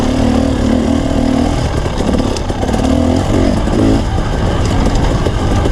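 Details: Two-stroke dirt bike racing at Merritt, before Mikuni carb mods and rejetting: uneven, blubbery revving with flat tone wavering under throttle; running rough, owner suspects jetting, unconfirmed.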